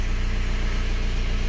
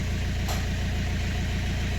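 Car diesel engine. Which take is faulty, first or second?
second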